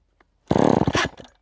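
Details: Rebuilt chainsaw, cold start after sitting unused, low on fuel, full choke: a short half-second burst of rapid pops that dies straight away, catching but not running yet.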